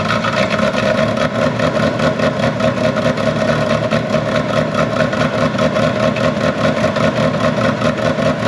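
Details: Ferrari 360 Challenge Stradale Spider on its first fire-up after the battery had been off: loud, choppy running with sputtering exhaust pops. It did not smooth out within 30–60 seconds, so it was shut off. Cause suspected, not confirmed.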